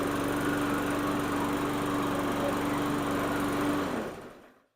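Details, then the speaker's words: Murray push mower with Briggs & Stratton 450 E-Series single-cylinder engine, after getting it running again with fresh gas; holds a steady, even beat about four seconds before shutoff, no misses or knocks; normal healthy running. "Well, it seems doing really good."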